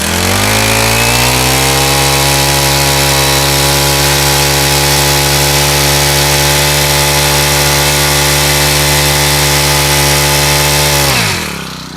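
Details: Rebuilt Honda GX35 small engine (new fuel lines), held at full throttle about ten seconds: it spins up to a clean, steady high whine and drops off smoothly. The earlier slight noise is gone; it starts easily and runs quiet without smoke.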